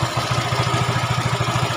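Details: Yamaha Mio 125 automatic scooter after valve adjustment, fixing prior roughness: quick even single-cylinder idle pulses, steady beat, runs smoothly.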